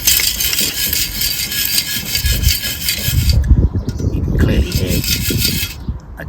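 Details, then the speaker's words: Removed catalytic converter from a 2005 R53 Mini Cooper S with lack of power and odd lift-off noise, shaken by hand outdoors in wind: loose irregular clattering as broken insides move freely. Catalytic converter internal rattle (loose substrate). "cat's not happy. Don't know how well I picked up the video because the wind and stuff. She's all loosey-goosey."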